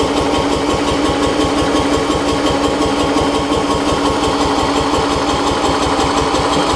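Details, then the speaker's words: Murray rear-engine rider mower with a brand-new battery, which ran the day before: steady rapid chugging near three beats a second as it cranks and labours without catching cleanly. Owner suspects flooding; hard starting. "actually I honestly think it's flooded I think it really wants to here at trying"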